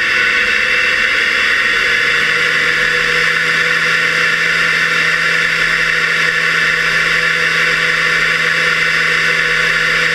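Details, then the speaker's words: Fairchild J44 turbojet on a driveway run, camera mounted under the engine facing rearward in a waterproof case that muffles the loud sounds: after light-off the rpm rises to a steady jet roar and whine, holding idle evenly with no surging. Normal idle. "when it lights off you can really hear that rpm start increasing and it comes up to idle"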